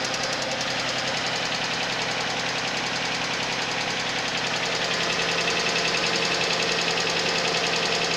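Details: Suzuki Vitara on a cold start: a steady, fast ticking knock of about three or four per second over the cold idle. The source of the knock is not pinned down.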